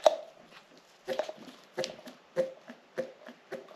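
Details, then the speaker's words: Hand-pumping the fuel pump taken off a junker engine during reassembly of a remanufactured engine; crisp regular suck-and-puff strokes about every 0.6 seconds, pulling good suction, so this pump is being reused. "can actually hear the suction. So, we're using that one."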